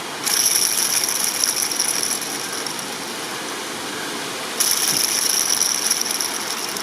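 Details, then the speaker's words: Worn top idler pulley bearing on a Ford BA Falcon serpentine belt drive, old pulley spun by hand: dry gritty rattle with a high hiss rising with each spin; confirmed as the noise source, replaced without releasing belt tension. "definitely where the noise came from"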